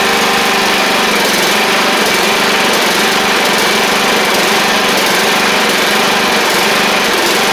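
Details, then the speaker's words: Troy-Bilt Pony 42X Powermore single-cylinder, first start after carburetor cleaning with WD-40 and carb spray: a fast idle whose beat wavers and stumbles; it shot out junk, and a leaking needle and seat is flooding it. "well it ain't perfect it is running though like I said it looked like it shot a bunch of junk out of it though"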